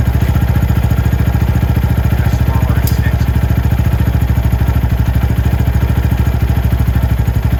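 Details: Venom X22R Max 250cc fuel-injected single-cylinder motorcycle at an idle judged perfect, adjustable at the throttle body screw. Steady, even thump at about three and a half beats a second with no misses or knocks. Normal idle.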